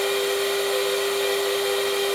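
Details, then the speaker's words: Bench test of new VFD spindle for Genmitsu ProverXL 4030 desktop CNC, speed dialed up on controller to full 24,000 rpm output: clean steady high whine at constant pitch, no rubbing or rattle; healthy at top speed. "the dial on the side of the uh CNC controller allows me to turn up the speed to test the full capability so now it says it's outputting 24,000"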